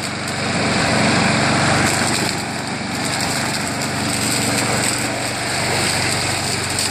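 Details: Craftsman 22-inch self-propelled front-wheel-drive mower with a 6 hp Briggs engine, after a spray of carb cleaner and RPM adjustment, self-propel drive working; steady high-rev buzz with a gentle rise and fall in speed, running smoothly.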